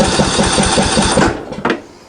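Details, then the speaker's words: Greenfield ride-on mower, hot day around 35 degrees, fuel contaminated with diesel, some not yet drained, starting fluid sprayed: steady rapid cranking chug that never catches; no fuel getting through, owner suspects the fuel pump diaphragm was affected by diesel. "probably still a bit of diesel that I haven't been able to drain but we're gonna hit it with a bit of the homebrew the go-go juice and just see if that's going to be enough to pull the new fuel through and get her up and running"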